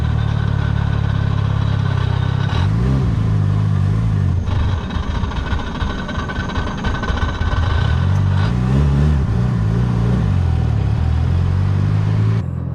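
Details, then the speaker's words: Mitsubishi Evo 5 with aggressive aftermarket performance clutch: revs rise and fall with loud uneven shuddering as clutch takes up; heavy chatter, owner thinks it's the clutch's characteristic, unsure if throwout bearing was replaced. "um I think it's an appropriate performance clutch to what this car is making power level but it chatters so much"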